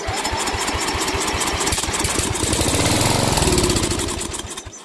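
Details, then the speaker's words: 12 HP Briggs & Stratton flathead after sump oil-leak gasket repair: quick single-cylinder popping for a few seconds on starting fluid, then dies; fuel starved, suspected debris in carburetor jet knocked loose during the sump work. "Okay, so we know it'll go with go- go juice."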